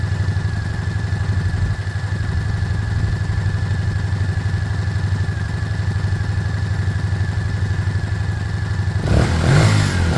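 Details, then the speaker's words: Small single-cylinder motorcycle warming up: an even idle of about four pulses a second, then a clean rev. It sounds healthy and smooth. Normal running. "he it sounds good it sounds good I'm going to start wrapping up around it warming up"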